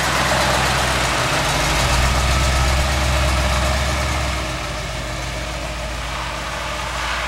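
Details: Big-block V8: deep, even burble with steady firing pulses, easing off slightly as it pulls away; healthy engine.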